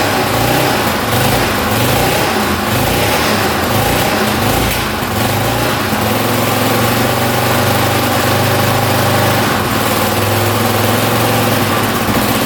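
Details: 1982 Honda XL500R single-cylinder, first start after carburetor cleaning, a little cold-blooded, throttle slightly adjusted: loud even steady idle, no stumbles, rattles or knocking; idling cleanly.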